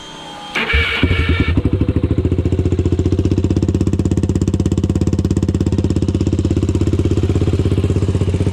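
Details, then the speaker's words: Honda 400EX first start after new starter brushes (old ones worn out): cranks, catches and settles into an even single-cylinder thump about three beats a second, no bottom-end knocking or valve-train noise. "it sounds like the bottom end is okay i mean i didn't hear any knocking or anything i didn't hear any valve train noise or anything unusual"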